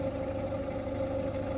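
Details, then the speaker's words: Ford Fiesta warmed up to temperature and idling smoothly with a steady mid-pitched whine that disappears when revved. The owner suspects a tensioner or idler on the timing or belt side; not confirmed. "got that noise it's only on idle so if you rev it move the car completely stops so my suspicion is it's going to be a tensioner idler or something on the timing"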